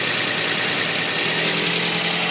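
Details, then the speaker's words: Toyota Vios after ECU repair of the cylinder 3 and 4 ignition coil/injector drivers for P0354 misfire, idling while warming up: steady, even idle with smooth hiss, no misses or stumbles; running cleanly on all cylinders. "So all goods na to pinapainit lang."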